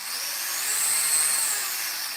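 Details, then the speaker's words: Electric RC car with single electronic speed control, Team Losi 2.4 GHz radio and dual servos: steady high-pitched whir swelling and easing smoothly with throttle, no grinding or clicks; healthy drivetrain, already driven outside and does burnouts. "I already drove it outside. It honestly runs pretty dope. And it does burnouts, no problem."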